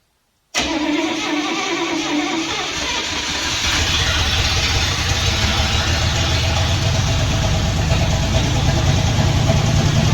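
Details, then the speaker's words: Poly 318 V8 newly swapped into a 1964 Dodge D300, first start, cold: cranks and catches, then a rough idle with light, fast ticking from a couple of noisy lifters. "[Music] night got a couple of noisy lifters see if those end up shutting up here"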